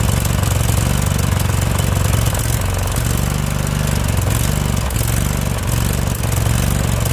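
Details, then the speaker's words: Husqvarna YTH2148 lawn tractor, Briggs & Stratton Vanguard V-twin, which earlier wouldn't run even on choke (solenoid suspected): lumpy chug that surges, sags and dies. The carburetor must come off. Rough running and stalling. "yeah so the carburetor is definitely got to come off ah well I don't know if I'm going to do that yeah so the carburetor is got to come off that was obvious right there"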